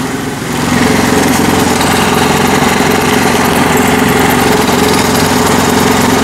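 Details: Honda Activa 4G scooter: engine catches and holds a loud, rough drone with uneven rattling chatter, worse when starting and moving off; points to a damaged CVT speed (variator) pulley.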